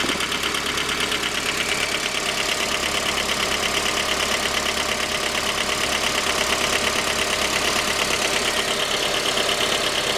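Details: J20A engine (2010), cold idle: sharp, fairly regular light knocking over the engine hum. Began at 10,000 km and seemed to worsen after oil changes; dealer checks were normal. Found a scored crankshaft journal on cylinder 3, blamed on non-recommended oil; short block replaced.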